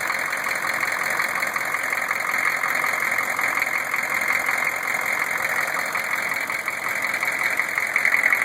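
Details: GM 6.5 diesel, newly installed rebuilt long block: idle with a dull repeating knock about two a second under the clatter, recorded with the inspection cover off. Rocker oil flow weakens toward the rear; flex plate and converter bolts fine; cause unknown.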